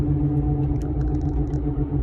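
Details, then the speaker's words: 2015 Ford F350 driving: low steady rumble and growl under road noise, slow womp pulsing once per tire revolution, louder with weight, changing with steering, felt in the steering wheel; no play, no ABS light. Worn front hub bearing. "chances are you have a wheel hub bearing unit going out. Gets louder when you put weight on it, changes with steering, and with the revolution that you're hearing, the womp, womp, womp, womp, womp, womp, that's per revolution of the tire."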